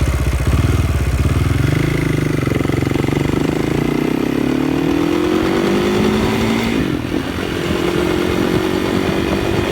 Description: KTM 560 SMR started making juddery noise and feel. no longer pulls smooth and hard. you can hear the noise when i accelerate.